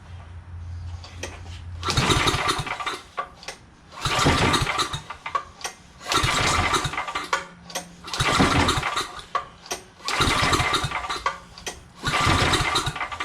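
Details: Roadside-found generator just fitted with a new Champion J17LM spark plug replacing a dirty one: about six recoil pulls, one every two seconds, each a quick rasping crank that never catches; won't start, carburetor bowl later found dirty.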